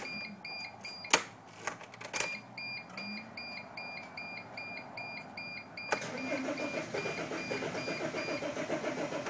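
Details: 2005 Dodge Sprinter: after a few clicks and chimes, the starter spins the engine in an even rhythm for several seconds, but it never catches. Cranks but does not start.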